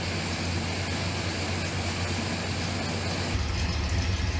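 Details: 1970 Pontiac Grand Prix SJ V8, first startup before cam break-in, key turned without touching throttle; fires right up, deep even steady idle, no misses or knocks; coolant temp rising toward 150; normal idle.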